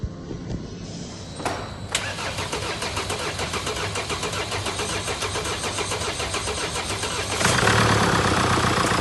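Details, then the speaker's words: 2017 Mercedes E-Class diesel, OM654 engine, first start and idle after timing chain replacement (chain was loud on cold starts and audible warm); engine cranks, catches and settles into a steady even idle, no knocking or rattle; sounds fine. "Okay, so we've started the engine, sounds fine, runs nice."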